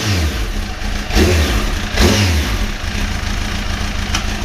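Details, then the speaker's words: Motorcycle after clutch rebuild with old clutch refitted, new gasket seal: smooth even idle, two quick blips settling cleanly; earlier noise gone, no clutch chatter. "all feels good sounds good you know what I think we're going to Europe"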